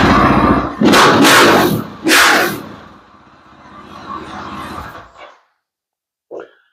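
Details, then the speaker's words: KTM 500 revved with silencer insert removed, after new chain and sprockets: three sharp, raw rev blips with harsh crackling bark, then drops back and cuts off; basically an open exhaust with nothing in it, pretty loud. "You'll get to hear how loud it is now with nothing in it. It's basically just an open exhaust."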